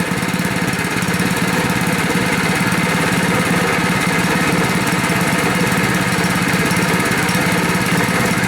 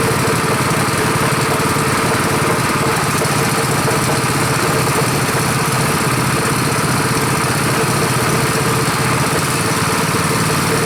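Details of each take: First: Rebuilt Honda 5.5 HP single-cylinder engine after running outside a while at idle: uneven, stumbling beat, missing now and then, starting to hiccup, then dies sooner than the other engine did. Engine hiccuping and stalling. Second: Rebuilt Honda 5.5 HP single-cylinder engine at first start after rebuild, run outside: low, steady putter at an even idle with no misses or knocks. Idle is lower and better than the other engine; runs smooth, normal.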